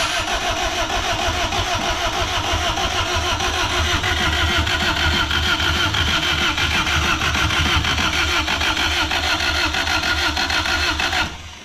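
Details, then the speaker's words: Freshly rebuilt Honda D16Z6 (bad rings, smoking) on first start attempts: starter cranks evenly about three beats a second for eleven seconds without catching; getting fuel and air but no spark. "It's getting fuel. It's getting spark. It's turning over, but not turning on. Alright, so we figured out that we're not getting any spark."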